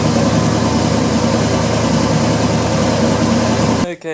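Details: 1977 Chevrolet C10 V8, first start after sitting nearly 2 years, gas poured in carburetor: steady even idle with low regular pulse, no knocks or misses; running pretty good.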